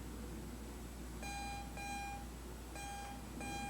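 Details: Garrett AT Pro metal detector, loaner unit, switched on after a beach hunt with the same settings and the coil held still in the air, gives irregular bursts of a steady high beep: erratic false signals; owner suspects a bad coil, unconfirmed.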